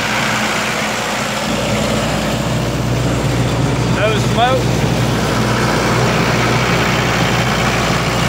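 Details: 1995 Libby MEP-804A 15 kW ex-military generator, 4-cylinder liquid-cooled Isuzu diesel rebuilt in a 2010 reset, 688 hours, new filters and fluids, started cold, 1800 rpm: steady unchanging drone, no knocks or rattles, running normally, no leaks.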